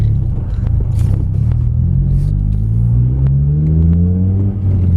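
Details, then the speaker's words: Acura RSX Type S with a Spec D cat-back exhaust, heard in the cabin with windows up, pulling through gears to about 4,000 rpm; low steady rumble with little drone, mostly wind noise; normal exhaust note. "So this is 3,000 RPM. 4. All these shifts are at 4,000. Not that much drone at all. There's more wind noise than anything, and like you can have a perfectly good conversation in here."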